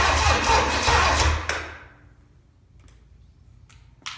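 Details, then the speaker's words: Original, never-overhauled, very-low-mile 1968 Buick 430 V8 from a '68 Riviera, first start in decades after pre-oiling: the starter cranks about 1.5 seconds without firing. No spark. "No sparky. Well, I'm gonna have to figure out why it's not making a spark."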